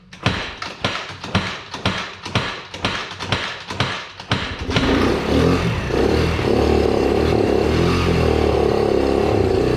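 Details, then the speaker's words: Can-Am ATV (glow-plug start) that was submerged, possibly with water in the fuel: labored cranking thumps about twice a second, then it catches and runs rough and uneven. "oh that didn't sound good hey started without me putting any goat juice in there"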